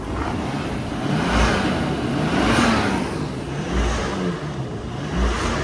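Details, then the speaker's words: 1998 Nissan Skyline R34 GTT, RB25DET turbo engine, automatic, 160,000 km: revs climb and fall smoothly with even note, no misses or knocks and no smoke; engine sounds good. "Engine sounds good."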